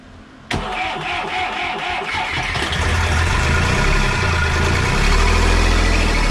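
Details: Marine diesel on a 44ft steel sailboat (Dinieper Tropic 1200) abandoned 22 years, first start after years; fuel bled of air, second try, temporary small tank; catches at once and settles into a steady low idle: normal start.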